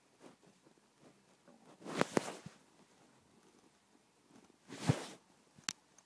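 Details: April 2010 15-inch i7 MacBook Pro: three short, dry, metallic creaks, each as the aluminum body is pressed by hand, in a quiet room.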